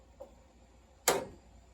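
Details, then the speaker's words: Residential steam heating system: one sharp metallic bang with a brief ringing tail from the pipes (water hammer). The boiler had lost water; it has a WF2-24 24V automatic feeder with a low-water cutoff delay for steam condensing back to water. "yeah there's your your annoying water banging sounds so when it condens it back into water sometimes that delay will be suffice and not let it overfill but here you lost water"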